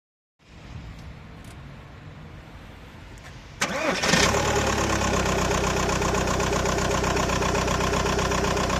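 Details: Engine showing codes P1666 and P0301 and shaking at idle: it cranks, catches, then idles with a steady thump and a faint lope, consistent with a cylinder 1 misfire.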